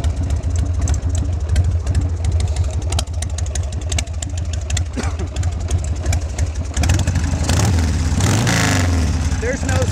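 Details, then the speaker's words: Harley Sportster 1200 V-twin with drag pipes, Hypercharger air cleaner, cold: uneven lumpy idle with irregular pops, then rising revs, no smoke; plugs need cleaning, intake seals to replace for popping and spitting. "You can hear it pop when you give it the gas, and when you start it cold, you can tell the plugs need to be cleaned."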